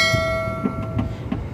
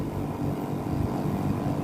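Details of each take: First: Daikin R410A air conditioner: fan turns very slowly, pipe dry with no condensation, not cooling; compressor not running with intermittent hum that cuts out, from a failed capacitor being replaced. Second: Daikin R410A air conditioner outdoor unit after a capacitor replacement: steady fan whoosh over a smooth compressor hum with no knocks. The compressor is running normally and cooling.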